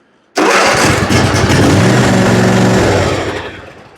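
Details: Ariens zero-turn mower after no-start, no-click diagnosis (faulty starter solenoid), parking brake set, on choke: engine catches instantly and runs strong and steady for a few seconds, then the sound tails away; starts cleanly.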